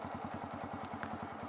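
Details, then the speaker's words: Manual motorcycle in first gear, clutch eased into the friction zone (half clutch) at start-off: an even thumping beat of about ten pulses a second holding steady; normal clutch engagement. "요 . 지금 저 는 마찰 영역 에 있습니다 ."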